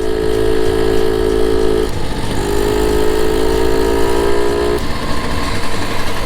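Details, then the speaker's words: 1972 Solex 6000 two-stroke moped, cold engine, riding off gently: even buzz that dips then climbs with throttle, clean and steady; normal running while cold. "on y va père tranquille j'ai pas envie de il est froid encore"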